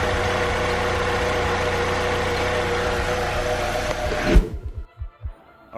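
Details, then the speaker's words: 2005 Saab 9-3 2.0L after repair of a top-of-engine noise: three damaged rocker arms replaced with used ones. Steady, even idle with no top-end ticking or clatter, then switched off; noise gone, normal idle. "we couldn't find the new ones so we got the use one use ones and we replace them and noise is gone"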